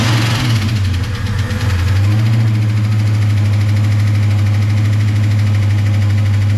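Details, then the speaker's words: First startup after valve spring work on an engine with lifters: light, quick ticking, about three a second, over an idling V8 rumble; tapping is considered normal after such work and expected to go away as the lifters pump up. "i'm not gonna freak out over the tapping because that is normal uh whenever you do something like this hopefully that will go away"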